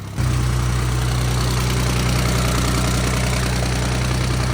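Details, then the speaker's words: First start of a new replacement engine in a GR Corolla build after the old motor was torn down: engine catches and settles into a steady, even high idle with a smooth low hum, no knocks or misses, normal. "got that high idle going it's got that high idle sounds like she's ready to make some"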